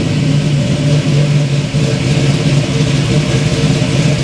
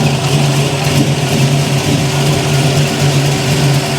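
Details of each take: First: 1971 Chevy Nova V8, no choke, high-rise intake, still cold after a couple minutes running: loud lumpy rumble breaking up briefly as revs rise; stumble on revving, owner suspects cold engine, not confirmed. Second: 1971 Chevy Nova V8 with mufflers, started while setting distributor timing: steady deep smooth burble, no ticking or puffing, no exhaust leaks; healthy idle.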